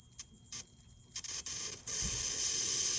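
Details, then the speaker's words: 1969 Zenith color TV console under restoration, running on bypass idle current: as the high voltage comes up, sharp crackling snaps build into a steady high-pitched sizzle. It is arcing at the old burn-through spot to the high-voltage cage. "I can hear it arcing. Oh, yeah, okay, that's not good."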